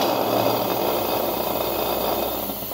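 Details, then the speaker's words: Refrigerator compressor motor direct-started without PTC relay and overload: steady even motor hum, no clicking or cutting out; running normally. "observemos ahí cómo se quedó ahí trabajando normales así hacemos el arranque directo de un motor de este generador"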